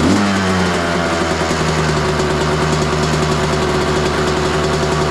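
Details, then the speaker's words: 2003 Honda CR250R two-stroke dirt bike just kick-started on choke, smells of gas, fuel mixed heavy: fast, steady buzzy idle that never settles; idling too high, owner suspects carb needs adjusting or going through. "It's suddenly idling too high, but started pretty easy."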